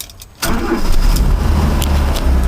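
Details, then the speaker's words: 1985 Mazda ute, warm, just after new points and condenser fitted and gap opened: engine catches at once with a little accelerator and settles into a steady, even low idle with no stumble; healthy start. "That's alright. It just needs a tiny bit of accelerator each time you start it. Although it should be alright now, it's warm."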